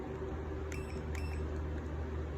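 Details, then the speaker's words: Fellow owner's 5.7 Hemi swap harness and PCM (Hemi-swapped Cuda), before wire-by-wire bench continuity testing: a cheap Craftsman meter on tone gives two short high beeps over a low room hum each time the probes touch; normal continuity beep. "I'm not gonna bore you with that, with me using my continuity tester and my cheap Craftsman meter on tone. So it beeps whenever I touch them together."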